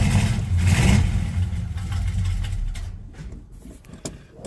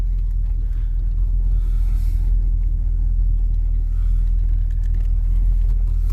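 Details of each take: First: Monte Carlo cold start before fuel filter change: lumpy uneven low rumble that sags and fades; runs okay when floored then acts like running out of gas; owner suspects clogged fuel filter, or fuel pump. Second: Monte Carlo driving after fuel filter replacement, accelerating: strong steady smooth low rumble, no stumble or knock; owner thinks it runs better and is getting fuel.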